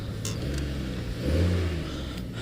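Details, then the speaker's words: 2006 Chevrolet Trailblazer after starter replacement, put in gear and revved: a clean, smooth rev with a deep, even rumble. The earlier marble-in-a-tin-can ting on take-off, which had set knock sensor codes, is gone. "put it back in gear see if we get any more noise give us some gas now watching gear and that noise is gone folks so the starter was the problem yay we fixed it"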